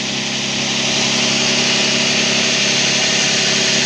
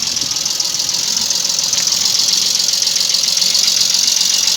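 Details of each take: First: Toyota 1G-FE BEAMS engine on first start after valve adjustment, with worn bucket seats replaced by buckets from another engine. Not yet warmed up, it idles steadily and smoothly with no knock or tick. Normal idle. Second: Toyota 1G-FE idling with a fast, light top-end ticking knock. Valve clearances measured mostly normal, about 0.15–0.20 mm. The bucket seats in the head are worn out, so the buckets are being replaced.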